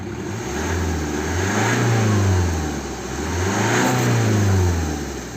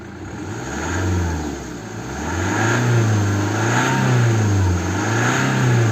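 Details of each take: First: 2010 BMW 1 Series 118d, N47 2.0 diesel, engine light with DPF and exhaust back-pressure sensor faults (481A, 4810), low power: revving up and down brings an airy hiss swelling with revs, like an air line blowing off; boost leak from disconnected DPF pressure hose. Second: 2010 BMW 1 Series 118d, N47 2.0 diesel, after refitting a loose DPF differential pressure sensor hose: revs rise and fall smoothly with no misfire or knock, the pressure reading climbs with rpm; normal revving, sensor working.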